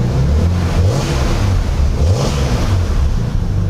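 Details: Toyota MX83 Cressida, automatic, started after distributor seal replacement: engine catches and revs smoothly, pitch rising and falling evenly with throttle, no knocks or misses; healthy running. Oil pressure light flickering, suspected sending unit.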